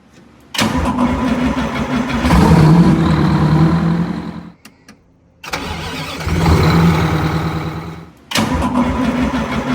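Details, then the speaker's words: Detroit diesel bus engine after a heavy traditional starter was replaced with a gear-reduction starter: three quick, brisk crank bursts that each catch into a diesel rumble; spins fast and strong, normal cranking. "Here we replace a traditional, very heavy Detroit starter with a gear reduction starter. It uses less power and it turns over much faster."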